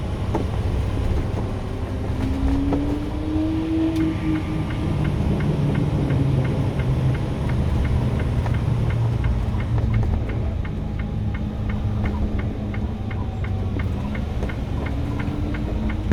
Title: 2022 Renegade XL knocking noise